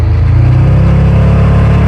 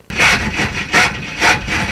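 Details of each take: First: Roadkill Jaguar ("Draguar") after parking-lot engine swap, blower-equipped, in 48° cold; engine pulls hard and rises cleanly under acceleration with no pinging or rattle: no detonation. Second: 1974 Jaguar drag car with swapped engine cranking: rough rasping grind pulsing about twice a second; the starter was found loose and falling off, dangling, then refastened.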